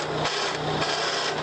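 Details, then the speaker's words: Mahindra 415 DI Bhumiputra tractor, engine running; harsh rasping grind pulsing about four times a second as gears clash; clutch not disengaging even when pressed, won't go into gear or neutral. "देखिए, यह gear बिल्कुल भी काम नहीं कर रहा है। जब आप गियर बदलने की कोशिश करते हैं, तो क्लच काम नहीं करता है।"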